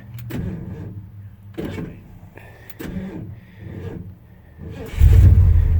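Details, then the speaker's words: 1979 Ford F150, 460 automatic, sat neglected for years with a transmission issue. On a boost pack it gives several short, sluggish cranking bursts, then a louder rumble; weak battery, later swapped for an Optima. "oh no way say that battery's about shot so threw the old trusty optima in there"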